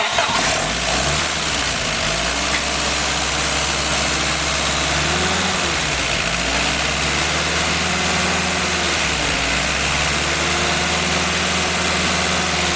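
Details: Rebuilt Willys F134 four-cylinder from a military CJ3B with NOS parts, first start-up and break-in on Pertronix ignition; even idle with steady low pulses under loud fan hiss, no knocks or misfires; running fine.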